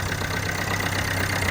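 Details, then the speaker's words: Corsa D 1.3 CDTI diesel first start after fitting new ECU and priming fuel: steady even idle with low drone and regular clatter on all four cylinders, no misfire. "this engine is now running you can hear it so we know that ECU has been flown well and we also have the engine running on all four cylinders"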